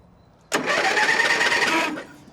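A quick, steady, fast whirring crank for about a second and a half with no dragging; the starter spins the engine briskly on a good battery.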